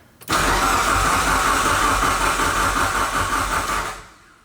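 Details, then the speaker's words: Fully built Mitsubishi Evo 9 at first start, with the OEM starter refitted after the previous starter gave only a single click: strong, even cranking for nearly four seconds with a steady whir. Normal starter cranking. "So it's the starter. it's off. God, what a relief."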